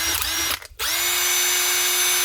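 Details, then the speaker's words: 2007 Makita BTD140 18V brushed impact driver, 17 years old, after armature replacement repair: motor spins up to a steady, clean high whine, stops, runs again smooth and even with no rattle or grinding; healthy. "that that's her one old Makita BTD 140 18vt brushed impactor that's the original twin brush Universal motor lithium battery and factor that made M put out the BPD not the dpd"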